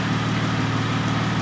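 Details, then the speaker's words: 3.8-liter Jeep Wrangler after replacing the number four fuel injector for P0204 injector circuit and misfire: petrol V6 idles smooth and even with no stumbles; Pico scope and scan tool confirm repair good. "that's it folks uh we're done we have confirmation sounds nice and smooth out the back looks nice and smooth under the hood pico tells us we're good scan tool tells us we're good"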